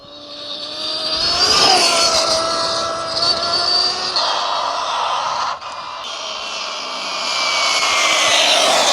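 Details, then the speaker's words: 1/7-scale RC NASCAR Craftsman Truck, run flat out after sounding clean when wheels lifted but noisy on all four; high whine rising and falling with speed plus harsh gritty rasp under load, getting louder. "Oh, it sounds horrible. I don't know what it is. Oh, man. Right, I need to really look at it, don't I?"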